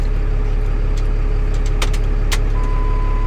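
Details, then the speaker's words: Ford F650 box truck keeps idling with the key turned off: steady, even low rumble that doesn't drop away; owner suspects the ignition switch or, most commonly, the starter solenoid; unconfirmed. "what it could be of course can be the stain the switch the sweeter right here on the key but the most common cause of this that's one thing called starter solenoid silhouette start"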